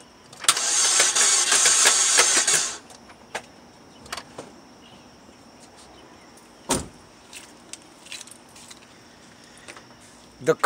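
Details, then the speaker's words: 2007 Saturn Vue cranks steadily for about two seconds but never catches: crank, no start, cause not yet diagnosed. "what's wrong with this car is that it cranks but it does not start"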